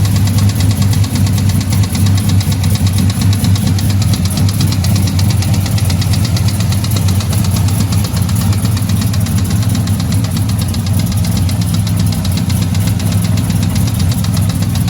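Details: Petrol engine recently rebuilt with new cam lifters, heads and valvetrain, cold start in the morning: fast, even tick over a steady low idle rumble, developed the night before; owner suspects an exhaust leak, unconfirmed.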